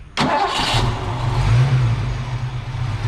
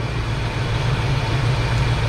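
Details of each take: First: Foxbody Mustang with a stock cam, ignition timing and idle deliberately misadjusted for a base idle reset: it cranks and catches after the throttle body idle screw is turned in, then settles into a low, lumpy, uneven idle of about 600 rpm. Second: Foxbody Mustang after a base idle reset, throttle body screw adjusted and TPS set to 0.97–0.98 V: a smooth, steady, healthy idle with no misses or hunting. Idle rises when the unplugged connector is plugged back in.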